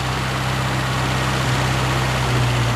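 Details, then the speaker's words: 1974 Mini Cooper: holds a fast steady idle that won't settle; pushing the misadjusted choke cable in doesn't return it to idle, must drop manually; throttle cable JB welded. "and then I gotta adjust the choke cable because pushing it in doesn't make it go down to idle so you got to come out and manually"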